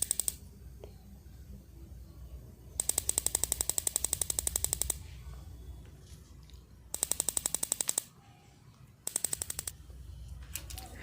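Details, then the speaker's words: Gas geyser started directly: igniter sparks in bursts of rapid sharp ticking, about four per second, but no burner ignition follows because the gas solenoid relay does not lift; the rusted battery box had been replaced. "तो दोस्तों आपने देखा कि जब हमने gas गजर को direct start किया तो उसमें लाइटर की आवाज अच्छी तरह से आ रही थी लेकिन उसमें आग नहीं जल रही थी यानी कि उसकी रिले ऊपर नहीं उठ रही थी"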